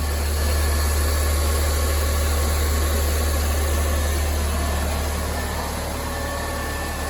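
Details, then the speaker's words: Ford Fiesta at idle, clean engine bay, coolant additive in the radiator: switching the A/C on changes the sound to a constant low droning hum with faint vibration, while the cooling fan still cycles normally. The cause of the abnormal A/C noise is unconfirmed. "Vamos ligar o ar condicionado agora ligar o ar condicionad aqui ó olha o barulho já mudou mudou muito né rapaziada"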